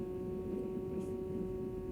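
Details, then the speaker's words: New 2024 Tesla Model 3 Highland, parked with other components off: faint, steady mid-pitched buzz in the quiet cabin from under the dash, the interior temperature sensor fan; audible at stops; interior temperature sensor fan buzz. "you have to be completely quiet and then you can hear it but it's pretty noticeable when all of the other vehicle components are off"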